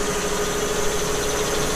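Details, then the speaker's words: Newly installed shop air compressor heard from a distance beyond 3 feet; fairly quiet steady hum with constant mid-pitched tone, no knocks or rattles; running normally. "So I'm standing, 3 feet from it. It doesn't sound too bad. It's fairly quiet."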